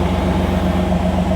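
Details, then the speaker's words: 1989 Pontiac Firebird Formula sat 17 years, mouse-chewed wiring, after injector and ignition wire fixes: steady low rumble, even beat, no knocks; running better, normal, a little smoke. Vacuum leak suspected, cooling hoses not yet connected. "it's running better sounds good A little bit of little bit of smoke not not bad"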